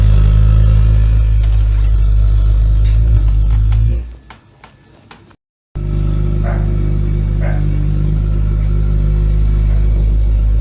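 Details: Ideal Logic boiler running noisily with a deep steady roar and strong low rumble, cutting out briefly then returning just as loud; a proper service made it run noise-free.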